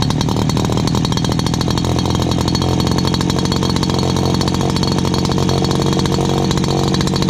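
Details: Dad's old backpack blower, about 39.7 cc two-stroke, choke only and no primer, first start of 2019 and in good condition. A loud, high, even buzz holds steady speed with no misses or surging. Loud but runs really good.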